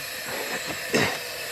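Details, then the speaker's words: MerCruiser 3.7L (MCM 470) marine engine with overnight coolant loss, leak-down test on cylinder three: soft steady air hiss with a brief puff as the intake valve opens heard through the carburetor; leakage within spec, no head gasket or cracked head sign. "but hmm but if there's any problem with a head gasket that would be going down not up or cracked head"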